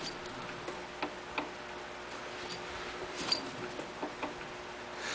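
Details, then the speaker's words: Briggs & Stratton ZH engine, partly disassembled, turned slowly by hand. Faint, irregular light ticks about once a second. Owner suspects the cam teeth; main bearings feel tight, exhaust valve was stuck. Knock seems to occur when the cam is down. Cause unconfirmed. "I do hear it could it just be the teeth of the maybe it's just the teeth of the cam maybe it's just the teeth in the cam huh"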